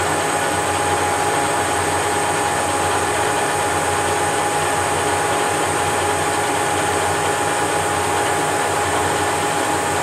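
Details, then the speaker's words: Leveled Whacheon 17x40 gap bed lathe with taper attachment, DRO and quick change tool post test-cutting steel: constant, even hiss with a steady mid-pitched tone and no hesitation, surging or chatter through the cut; normal cutting. "So as you can hear, there wasn't any hesitation in the part. It doesn't hesitate at all when it came into that part of the cut."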